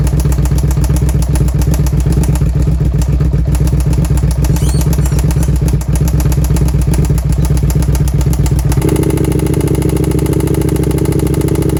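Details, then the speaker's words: Stolen-recovered 1st-gen carb Suzuki SV650 V-twin just after rear cam tensioner adjustment and exhaust refit: loud uneven clattering knock about once a second over a rough, stumbling idle. It barely runs or starts now; owner suspects over-revving damaged the engine and plans a full rebuild. "so this engine here is definitely [ __ ] [ __ ] because now it's not even running properly anymore like at all it's not even really starting anymore"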